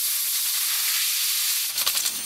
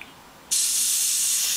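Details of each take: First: New air compressor with outlet pressure set near 40 psi, chuck pushed onto a tire valve stem: a steady high hiss of escaping air, then a fluttering, pulsing rush as the chuck seats and air finally flows into the tire after repeated failures. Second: Steady high hiss bursts in abruptly and holds as air escapes around the compressor hose chuck at the tire valve, outlet pressure set around 40 psi on a new compressor that won't inflate the tire; tire leaking air suspected, not confirmed.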